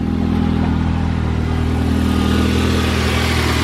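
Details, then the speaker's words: Ford Focus, idling on a cold morning just after first start, fixed by replacing the radio frequency sensor that blows a fuse causing crank-no-start: smooth steady hum, no misses, knocks or stumbles. "but she's running i am so glad i took the little risk with this darn radio frequency sensor whatever it's called"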